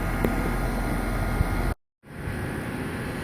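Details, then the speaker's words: Old York condensing unit, probably about 2001 and roughly 16 years old, with original fan motor, compressor and capacitor and a replaced contactor: low, steady hum and soft, even fan whoosh with no rattles or squeals; runs very quietly and normally. "as far as the condensing unit we look good this old York is uh damn good shape and it runs really really quiet"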